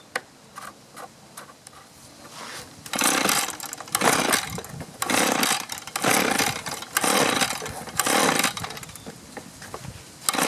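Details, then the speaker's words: Echo two-stroke leaf blower that sat a long time, old fuel swapped for fresh: it fires and runs but only surges unevenly about once a second, won't respond to throttle and dumps fuel. Carburetor suspected; runs but won't rev. "oh well obviously we got fire otherwise it wouldn't run like that but i can get nothing out of the throttle and we're dumping gas out"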